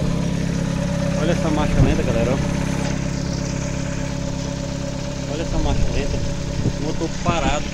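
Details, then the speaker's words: VW Gol quadrado CHT gasoline engine, still cold, after fine idle adjustment of mixture and idle screw: steady, even low idle rumble with no stumble or surging, wind noise over it, engine not shaking; normal stable idle. "olha não treme nada né muito estabilizado cara olha TR nada né motorzinho muito bom cara pht na gasolina"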